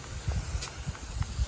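Steady spray hiss with soft, fairly regular low thumps as the head sweeps round, nothing sputtering or stalling; rotor working fine.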